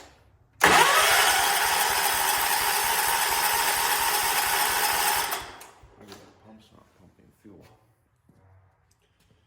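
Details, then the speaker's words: 1979 John Deere 214 tractor, sat for months: starter cranks at a steady chug for five seconds, never fires; owner suspects the carburetor. "I would think it should have started up right now let's see what happens good may have us a carb"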